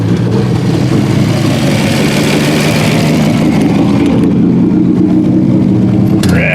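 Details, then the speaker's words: 1950 Studebaker Champion after 40 years stored, leaking carb, possibly stuck float, choke held open as possibly flooded; catches and holds a fast raised idle after starting; high idle, owner suspects cold start mode. "we'll have to figure out why she's revved up I suppose it's probably just on cold start mode"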